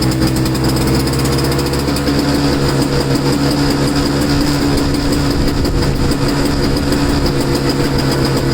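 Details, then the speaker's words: Two-stroke snow blower started in cold, windy weather after sitting 10 months, choked with ignition on but not primed. It runs with a rapid, even, buzzy beat at steady pitch, no hunting or misfires. Idles normally. "So, all right. So that started up pretty good."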